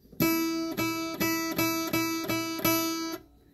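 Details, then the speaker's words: Guitar, a different string plucked about seven times for comparison with a B string that has a sympathetic metallic rattle; each note rings clean with no buzz. "let me go ahead and play another string that isn't doing that so that you can kind of compare the two"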